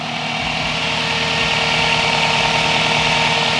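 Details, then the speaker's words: 16-inch Spal electric radiator fan (about 1500–1800 CFM) on a turbocharged Toyota pickup, running after a blown fuse was found, engine warm: loud, steady rushing roar over a smooth idle; fan working properly. "okay as you can hear the fan is on it's activated i found the issue"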